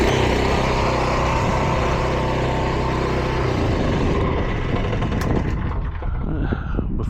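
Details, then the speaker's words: Billy Goat 18-inch Pluggr lawn aerator with a Honda four-stroke petrol engine, just started via fuel tap and choke: a low, even putter that settles cleanly with no misses or knocks, running well. "It's a Honda motor, so you'd hope it runs, and this one, in this case, runs it well."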